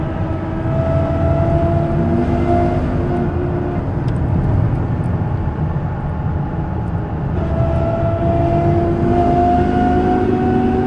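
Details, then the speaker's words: 2000 Dodge Ram 1500 on the road: a steady gear whine over road noise rises and falls with speed. The cause was worn ring and pinion gears, and the whole differential and bearings were replaced. "2000 Dodge Ram 1500, un problema en el diferencial, haciendo un zumbido, no sé si lo alcanzan a escuchar."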